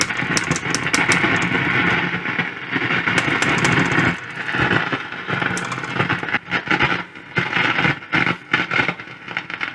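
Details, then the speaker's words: 1940 Bland Operatic Model C barn-find valve radio with faint stations, with irregular sharp crackles and pops over the hiss; traced to the amplifying stage, where mica capacitors (also one in the oscillator) and a resistor were replaced: radio crackle from faulty mica capacitor. "there's a lot of static as well so it may well be in the RF still"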